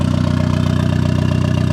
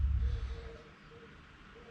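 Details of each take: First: Turbo Miata first successful start after clutch, flywheel and new bearings, with the hood dump: a steady, evenly spaced low idle pulse with no misses or knocks, good AFR and good oil pressure. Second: Turbo Miata after clutch and flywheel install, first start attempt: starter spins the engine about three beats a second for two seconds with no catch, reading lean; fuel feed and return lines were crossed, pushing against the fuel pressure regulator diaphragm.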